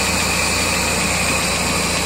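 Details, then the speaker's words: 1999 Mazda Miata idling with all 4 cylinders: light fast tapping, louder after revving, began after track sessions, unchanged after valve lash set to spec and oil change, loudest above #4 spark plug; engine ticking at idle. "this is with all 4 cylinders running. Hear that tapping right there? And if I rev it, usually gets a little louder when it comes back down."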